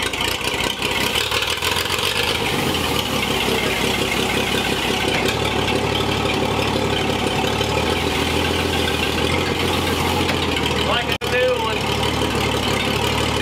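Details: Old Chevy Apache barn-find truck driven at night after sitting about 20 years: loud steady engine drone holding speed under load with a clean throttle dip and recovery, pulling normally.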